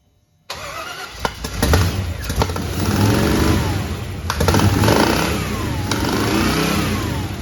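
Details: 1961 Chevrolet Impala with new fuel injection, first crank test after fixing distributor installed 180° out and readjusting valves, computer not yet programmed: fires and runs lumpy with irregular sharp pops and stumbles as revs rise and fall; popping back through the throttle body.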